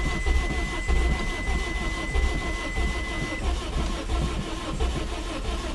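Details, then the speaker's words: Engine with a badly blown head gasket after Steel Seal treatment, restarted cold with a gallon of water added to the radiator: catches and stumbles with uneven loping pulses, no steady idle; blowing out water and pressurizing the radiator, Steel Seal failed. "well um I guess uh it was just blown too bad I guess there's some things that still SE can't fix yeah it's just blowing out so much water"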